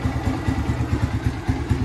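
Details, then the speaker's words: Yamaha Vixion motorcycle after valve clearance re-adjusted to normal gap: regular low putter at idle, evenly spaced beats, no ticking; valve train quiet and healthy. "sampai menemukan titik di mana motor ini gampang di celah lamsamnya normal sama bunyinya nggak ada bunyi klitiknya nggak ada gitu"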